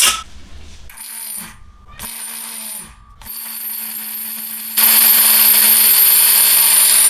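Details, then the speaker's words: Bosch MSM6250 appliance motor on test: steady hum with thin whine, then a harsh rasping noise takes over; motor getting hot with friction felt, suspected ruined bearing, not confirmed. "So probably here we have a bearing which is gone. It sounds like a ruined bearing and it's really getting hot."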